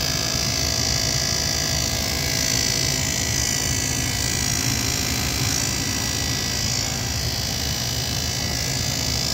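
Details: Goodman furnace on a no-heat call, inducer motor at thermostat call for heat: steady loud hum with rough buzzy high edge and an uneven pulse about three times a second, cause unconfirmed; noisy inducer motor.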